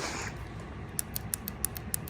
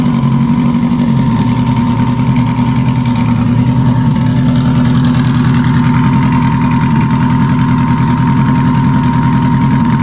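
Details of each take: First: Stuck fuel injector from cylinder four, run on E85 that attracts moisture in cold weather, freed by tapping on the bench: sharp crisp ticks about three to four times a second as it opens and closes freely. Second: Engine idling on three cylinders with number four not firing (unplugging it changed nothing): rough, choppy, uneven idle; a stuck fuel injector is suspected and is to be bench-tapped to unstick it.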